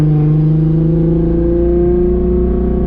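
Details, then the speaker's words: Audi RS3 with stock-block 3.2 VR6 swap, 79 mm turbo at a little boost, smoothed-out base file (was rough before), transmission shifting smoothly, driving: deep even drone climbing smoothly under pull, no stumble or miss; now idles and drives like a VR6. "so now the car actually idles and drives and sounds like a vr before it was so rough"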